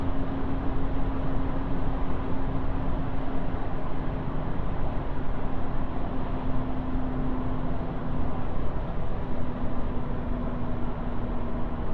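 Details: Alfa Romeo 159 2.4 JTDm while driving: steady low droning hum over road rumble from a worn front wheel bearing; the noise was gone after the bearing was replaced.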